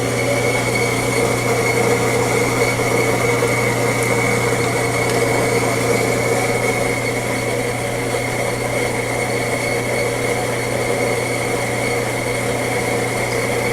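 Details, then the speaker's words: Fetco coffee grinder during calibration: steady motor hum and continuous gritty rush of beans, stopping at the end of an 8 oz grind; running normally. "so you can hear the Machine stop grinding you can see I did get a little residual beans and why we don't put the basket and then we're gonna weigh it"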